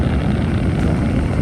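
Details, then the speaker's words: 5 kW all-aluminium Chinese diesel heater running at setting 3.0, not full burn, with 62°F outside: a steady low roar and whir from burner and blower, with no knocks or rattles. Normal running. "But yeah, this is at 3.0. Obviously, it's only 62 out, so don't need to run this at full burn. Also at full burn, it gets a little bit louder."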